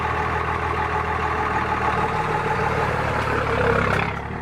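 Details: Cummins diesel truck idling with a light, fairly quick clicking over its low rumble; cause unknown.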